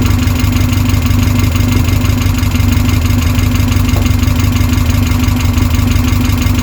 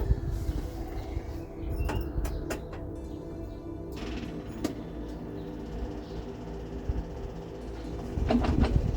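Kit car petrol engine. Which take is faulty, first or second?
second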